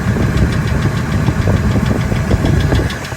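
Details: 1999 Ford F250 V10 idling in park; rapid, even light tick tied to engine speed over the idle. It comes and goes from 600 to 1800 rpm, is loudest near the flex plate and disappears above 1800. Injectors and coils replaced, EGR deleted; origin unknown.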